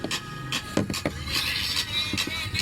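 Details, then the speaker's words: Isuzu MU-X car audio: music plays harsh and crackly with rough buzz on louder parts from all speakers, front, rear and tweeter alike; tweeter and speakers tested good, fault lies in the whole speaker system, cause unknown. "So all of the speakers actually have that same sound."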